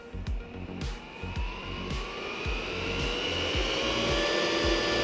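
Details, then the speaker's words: Eberspächer/Espar Airtronic S3 D2L heater on test bench, blower motor activated at 5000 rpm after P000220 blower interruption code: fan whine climbs steadily over light regular ticking, no rubbing or rattle; blower runs normally, heater fine. "And we can hear some noise now. Yeah, but it's 5000."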